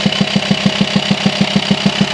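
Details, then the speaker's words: VW T5 Transporter 2.5 TDI diesel at idle, high mileage: hard, even knocking pulse about six or seven times a second, felt as vibration in the hose to the air box; diagnosed worn camshaft and lifters worn through, fix is new camshafts and lifters. "if you have a knocking pulsing engine sounds coming out of your Volkswagen T5 2.5 TDI you hear it Knocking the way you feel it you feel it mostly you feel the vibration from the hose to the air box and when you disconnect the hose it's obvious"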